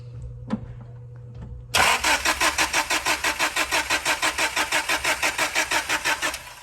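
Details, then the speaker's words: 1998 Honda Prelude with a Jackson Racing supercharger, Crane Cams ignition box and coil, and DC Sports header: steady starter cranking for about five seconds, never catches. An RPM signal is present but there is no spark; the immobilizer is suspected, though it later looked already bypassed. "No fire. No fire. We're have to check immobilization."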